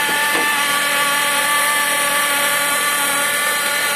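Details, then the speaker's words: Ford Mondeo IV, engine running: steady whine from the power steering pump, noisy in the mornings when cold and stopping after about half an hour once warm; air leak under intake manifold gaskets also found. "Слышно, да, какой гул? Это гудит насос ГУРа."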